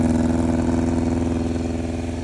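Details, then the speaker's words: 1988 Yamaha FZR1000 four-cylinder cold start after carb rebuild (larger Dyna Jet needles, adjusted Mikuni pilots, 3D-printed velocity stacks, higher-flow fuel pump, methanol-free gasoline): even, steady burble with smooth regular pulse, no misses or knocks; running great. "And basically the thing is running great. Absolutely phenomenal."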